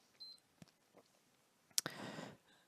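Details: PS4 thrown across a room, after laser ribbon replacement: one sharp power-on beep, then a soft steady fan rush; console powers up and runs normally.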